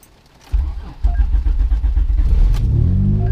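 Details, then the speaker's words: Turbo 7th-gen Honda Accord J-series on E85, cold start in chilly high-40s to low-50s °F weather after installing a 2004 Acura TL LSD transmission: short crank, catches on one turn, settles into steady even idle; check engine light on afterwards. "It's cold out. It's E85, literally one turn and it started right up. It's all about fuel tables."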